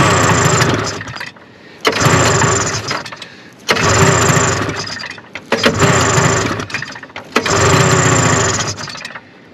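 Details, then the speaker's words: 1974 Arctic Cat Lynx snowmobile, fan-cooled 340 two-stroke, sat derelict outdoors 5 years, cold snow, old fuel. Five short ragged bursts of firing on starting fluid and choke, each dying after about 1.5 seconds. "oh come on baby turn to pulling already yeah man a fuel nasty give her a shot up straight up here juice i think it's sucking because it pulls them out of the tank"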